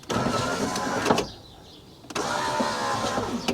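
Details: Rover 200Vi power window after a temporary repair inside the door, speaker removed, while a replacement part is awaited: two smooth, even motor whirs of about a second each, stopping cleanly with no grinding or binding; window works for now.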